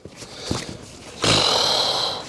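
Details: Toyota Altezza brake fluid replacement (fluid 5+ years old): during bleeding, handling knocks then a sharp hissing suck of air as the greased bleeder hose draws air past the nipple; lithium grease did not fix it, air leak noise.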